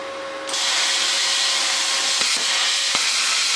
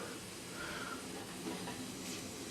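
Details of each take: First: First cut with a CUT50/CUT60 60 A Chinese plasma cutter at 30 A: steady loud air and arc hiss with a faint tone underneath, even through the cut; cutting normally, torch moved a bit too quickly. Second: CUT50/CUT60 60 A Chinese plasma cutter on a 50-litre, 2.5 hp compressor: faint steady airy hiss continues after the cut stops; supply hose leaking air at both end clips and needs replacing.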